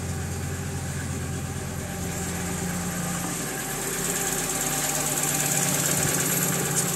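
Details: 1995 VW T4 van with ACU petrol engine idling with a low, slightly uneven drone and rattle; it stumbles and stalls once warm. A variable resistor is wired into the coolant temperature sensor circuit to fake temperatures (400 ≈ 75 °C, still runs), and the owner suspects a sensor-signal cause.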